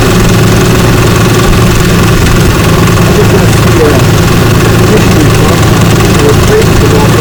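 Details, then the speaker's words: 2004 Ford Ranger FX4 4x4 4.0 with 275,000 miles, after coil, plugs and wires replaced for a misfire code: loud steady even idle with no stumble or miss. Normal idle; owner suspects a separate AC compressor noise. "Make sure we don't have any more firing, but misfiring, but it's, boy, it sounds beautiful."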